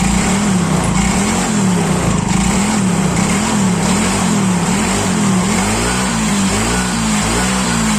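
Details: Yamaha Mio Soul GT scooter, previously non-starting after sitting unused several days, idles steadily with a gentle regular wobble and no stumbling; the fault was only the spark plug, oil checked fine.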